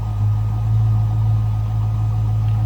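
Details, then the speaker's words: 1991 Ford Mustang LX convertible, V8, about 46,400 original miles, stock exhaust, no cam, heard from the rear: deep, steady, even tailpipe rumble, no misses or ticks; healthy idle. "No crazy exhaust, no cammed engine. It's a good sounding 91 Mustang."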